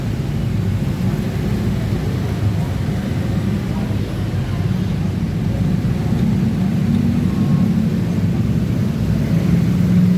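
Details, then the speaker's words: Yamaha NMAX 155 scooter CVT with engine hot: coarse, uneven low rumble under throttle instead of a smooth hum; rough noise occurs only when hot, from rollers sticking in a damaged housing. "Today's case is the Yamaha NMAX has a rough sound in its CVT. And this rough sound appears when the engine is hot."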